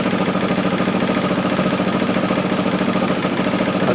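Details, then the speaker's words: 2003 Honda XR400 brought in not running, after valve clearance and cam timing checks, started after 365 kicks with idle turned down: even thumping idle of about three to four beats a second, holding steady without stumbling; normal idle. "tell you now, that runs pretty damn good. All right. See, it's running."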